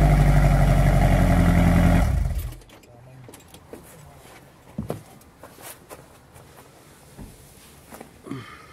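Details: Toyota Tarago/Previa/Estima (TCR11) after fitting a new Bosal catalytic converter, started without the rest of the exhaust: loud, raw, deep pulsing rumble at idle, about four beats a second, then shutdown; exhaust open straight after the catalytic converter.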